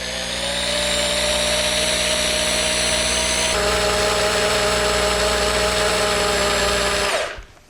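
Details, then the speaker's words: Ford 5.0L OHV V8 long block for Fox-body swap, oil pump primed with a reverse-running drill on an old distributor shaft: steady drill whine dropping in pitch as it loads, about 50 psi reached; normal priming. "You can hear the motor is winding down now. It's got pressure on it."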